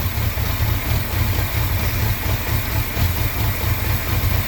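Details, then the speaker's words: 1981 Honda Goldwing with a single-carb conversion, after fixing a vacuum leak: low steady even idle with no hunting or hissing, perhaps a touch slow; vacuum fixed, idle and carb still need tuning. "some tuning on the carburetor is required but as far as the vacuum stuff sounds like it's good to go"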